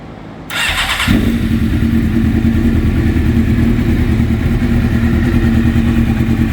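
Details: Suzuki GSXR750 after a valve-seal/cylinder head repair for low compression, new intake manifolds and no air leaks, mixture screws at two turns: the starter whirs briefly, then the engine catches and settles to a steady, even idle. Healthy.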